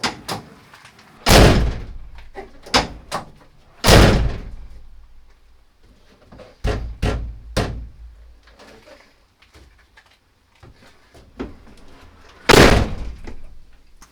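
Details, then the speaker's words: Peugeot Boxer L2H2 van during a soundproofing build, with Dodo Mat sound-deadening applied to the door: several hard door slams, each followed by a short loose buzz; tighter than before but still rattling. "okay let's see how that sounds now no no still rattling"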